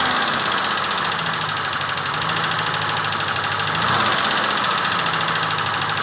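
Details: Peugeot 304 engine at idle: steady idle with an uneven ticking chatter over it and a slight swell near four seconds; engine noise, cause not clear.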